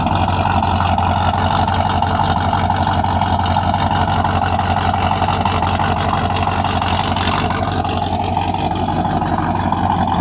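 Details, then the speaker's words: Freshly built 355 small-block V8 with ProFlo 4 port fuel injection in a 1993 Chevy C1500 Silverado, exhaust audible: steady, even V8 rumble with a smooth, settled idle and no knocks or misses; running normally. "You can hear it run. The exhaust is putting away."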